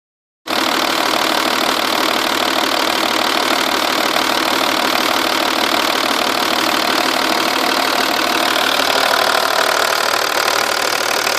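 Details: Audi/VW 2.5 V6 TDI diesel at idle: a light, fairly steady tick about three per second over the clatter, loudest from the sides. From underneath it seems to come from the rear passenger side of the engine. Cams were replaced previously; an exhaust gasket leak is suspected but none is visible.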